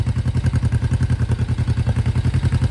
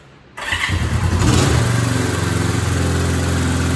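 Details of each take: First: 1972 Honda CL350 twin after balancing both carburetors: even, steady exhaust pulses of about nine a second, no misses or hunting; hand over the exhaust ends feels equal pressure from both cylinders. Finding: normal, well-balanced idle. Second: 1972 Honda CL350 twin, just started after restoration and carb mixture setup, about 5-10 minutes to get running: catches right away and holds a fast, steady idle well above normal before warm-up and idle screw adjustment. Finding: high idle.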